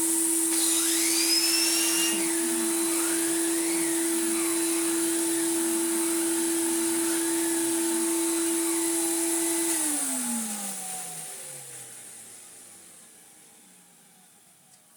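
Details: Refurbished Numatic BX.BX 190 commercial vacuum with its original motor and old turbo head: steady high motor whine with whirring brush head, then it switches off and winds down smoothly; healthy running.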